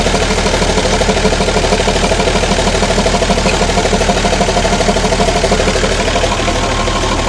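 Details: Ex-army International ACCO 6x6 with a Perkins 6354 diesel, idling after the fuel lines were bled of air: steady, even clatter with a regular, smooth firing rhythm and no misses or knocks. Healthy idle.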